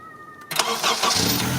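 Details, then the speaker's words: 2001 Honda CR-V after fixing grinding, hard starting: new starter fitted and missing second mounting bolt installed; brief two-tone chime, then quick crank catching within about half a second and settling to idle; normal start. "So now those bolts are installed. Now it's starting good."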